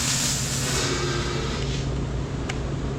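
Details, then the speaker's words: 1965 build, welding on a coolant pipe during header install; steady loud hiss with a low rumble, coolant burping into the radiator; coolant boiling from welding heat. ">> Every time I weld to this coolant pipe, it does that. >> Oh, it's burping. >> Yeah. >> Into the radiator."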